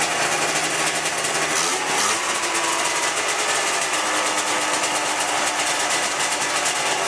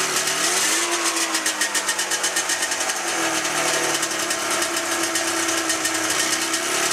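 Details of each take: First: 1997 Ski-Doo MX-Z 440 fan-cooled two-stroke snowmobile, about 12K km, after replacing a cracked carb flange: high, buzzy idle holding steady without hunting or surging; idle problem fixed. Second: 1997 Ski-Doo MX-Z 440 fan-cooled two-stroke, about 12K km, top end redone, good compression; raspy idle pulses and stumbles unevenly, won't idle on both cylinders until gas is squirted in the mag carb; carbs swapped, not the cause: misfire at idle.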